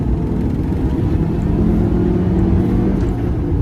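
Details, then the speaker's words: Honda Element, 260,000 miles, with its replacement manual transmission and new clutch: pulls cleanly through first to fourth with a smooth rising drone and no loud gear whine or grinding; gearbox healthy. "second gear it's not loud third fourth"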